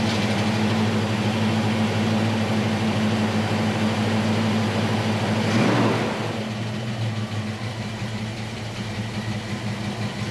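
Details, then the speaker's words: 1966 Ford Mustang coupe with factory V8 and 4-speed, after replacing manifold gaskets and repairing holes in driver-side header primary tubes: smooth even idle, deep exhaust rumble, exhaust-leak ticking gone; normal idle. "the the ticking sound or the the telltale sign of an exhaust leak i don't hear that anymore in fact you can hear the the mufflers now over the sound of the motor which is great"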